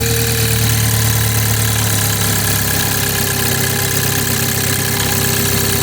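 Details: BMW 430i xDrive B46/B48 4-cylinder petrol at cold start in cold weather: fast idle with a faint tapping and a slowly falling whine; owner calls it a weird noise.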